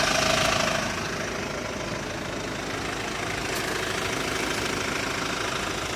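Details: Hyundai ix35 diesel, cold engine warming up at idle: hard, fairly regular clatter about three per second over running noise; irregular knock appears only when cold, disappears after warm-up, dealer could not find cause.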